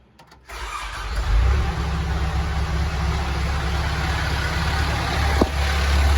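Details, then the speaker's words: Telehandler diesel, start after bleeding air from the fuel system to cure surging: brief crank, catches within half a second and settles into a steady, even idle with no hunting or surging. "So now we'll see how it runs, if it surges, how quick it fires up."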